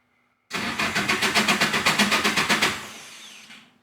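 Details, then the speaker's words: Cranks briskly at about four even compression pulses a second for two seconds but never fires, throttle just pulled back down; crank, no start. "Nothing yet. Gonna start again. Time to start. See if that makes a difference, where it needs more and then less or something. Yeah, right now it doesn't wanna."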